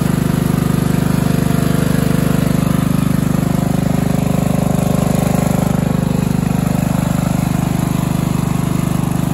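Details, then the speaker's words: Craftsman LT1000 14.5 42-inch riding mower after a new spark plug, cleaned air filter, new fuel line, new blades and new battery; it previously ran very poorly. Now an even, steady putter at constant speed with no misses or surging: normal running. "He also got a new battery for it. It starts and runs amazingly now."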